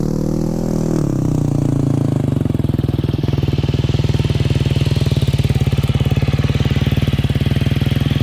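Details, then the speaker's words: 2009 KTM 250 XC-F after rebuild and idle adjustment: engine settles after a blip into a steady, even single-cylinder idle with a crisp regular exhaust beat; healthy idle. "There's the lovely bike, she's looking good. I'm gonna fire it up here."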